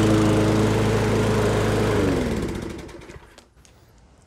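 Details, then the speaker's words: Toro Recycler Personal Pace push mower bogging while cutting, governed speed found at 2600 rpm, raised toward about 3200–3300 rpm by bending governor tab: steady even hum holds speed, then shut off and coasts down; normal after fix. "i believe that the customer's problem about it uh bogging down it was the fact that it was only running at 2600 rpm and i think this one's going to be good to go"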